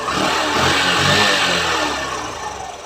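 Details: Hero Passion Pro BS6 motorcycle after carburetor adjustment; it previously would not rev fully and needed 10–15 kicks to start. The engine now revs up smoothly and settles back with no surging or hesitation: normal revving.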